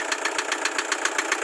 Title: #VLOG #30: Toyota Hi Ace Commuter 2kd Knocking sound(Katok) KAYA PALA!!!!!